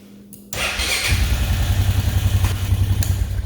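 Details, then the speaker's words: Honda 500 ATV, two-wheel drive, freshly washed, started while in first gear with front brake pressed: cranks briefly, catches cleanly and settles into an even, steady thumping idle with no knocks; healthy start. "you can start this while it's in gear i don't know if anybody knew that"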